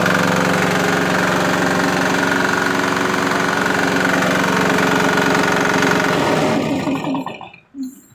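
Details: Swan SVU202 air compressor with a 170F 6 hp diesel engine (captioned as 2 hp), recoil start, 225 L/min, 85 L tank: steady, even single-cylinder diesel chug for six seconds, then it winds down and stops; normal running.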